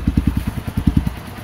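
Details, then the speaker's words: Honda XR150 single-cylinder motorcycle after rebuild (previously noisy and smoky, run low on oil; tensioner, not timing chain, at fault): steady even idle at about ten thumps a second, no smoke, no noise. "Start na start. Good. Uy one fly. Wala na siyang usok. Wala ng ingay."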